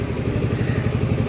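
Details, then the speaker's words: Kymco Xciting S400i scooter with a hard-starting problem, running after repair of a faulty part ("kunya"), charging 14.6 V: short stretch of steady, even low thumping idle, no misses or knocks; normal idle. "At o na buhay na ulit. Pwede ng makabyahe papa-Regi yun oh. Uy, bumobomba pa oh."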